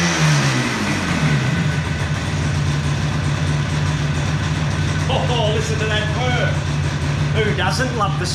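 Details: 1976 Yamaha RD400 two-stroke, first start after five years stored, choke on, in a workshop: ragged two-stroke crackle with a steady low drone; the old engine has fired up and keeps running.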